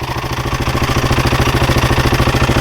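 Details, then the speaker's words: Husqvarna 701 single idling, with a fast metallic clatter on each beat that the owner attributes to a rattling timing chain tensioner; oil and filters were just changed and the oil level reads just over half, so oil is not the cause. "But the this is this this shouldn't be making the amount of kind of clatter that's coming isn't right. Right. that clattering. I think it's coming from the timing chain right in there."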